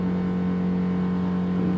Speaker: Kurwa, wentylator. W tym miejscu jest łazienka i przecież to tu nawet słychać, jak to buczy.